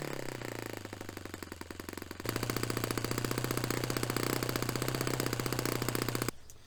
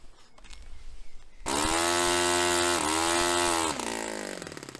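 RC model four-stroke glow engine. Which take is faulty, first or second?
second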